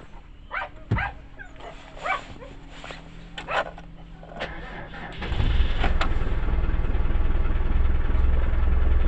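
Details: Neglected Land Rover Discovery 1 diesel after long storage, in neutral, preheat done: dog barks over a quiet wait, then it turns over and catches at once, settling into a steady clattering idle; hard start after long storage.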